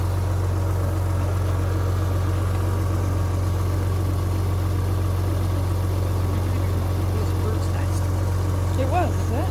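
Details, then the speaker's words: Rover 800 with full service history, first start after standing unused for years: steady, even low drone at idle with no knocks, misses or hunting; normal, healthy idle. "running on stealth Fuel and it's she sounds cool that's beautiful it's not even like"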